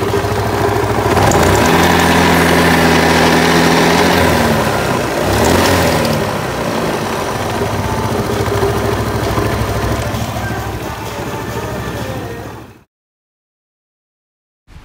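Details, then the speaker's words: Yamaha Mio scooter: coarse rattly roughness from the CVT cover at idle, rising with a throttle blip. "tadi udah kita dengar sama-sama ya teman-teman di awal video dan kondisi suara mesin atau tepatnya suara di bagian cover CVT ya"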